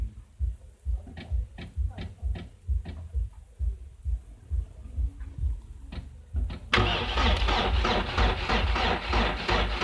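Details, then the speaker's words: 2002 Mercedes Sprinter 2.2L common-rail diesel, sat a year, immobilizer fixed, won't start: slow regular cranking on a weakening battery, about two compressions a second, no firing; no rail pressure building. "The battery is getting weak, but you can see certainly we don't have any pressure being built up in the rail whatsoever."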